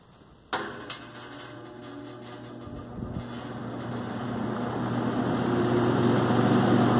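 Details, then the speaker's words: Vintage New Home 20" box fan after clean, lube and rewiring, final test: switch click, then the fan spins up with rising air rush, a steady hum and a bearing whine on high. The worn, dropped fan also has a rattling cage. "Definitely don't want to run it on high unless you want to hear that bearing whine."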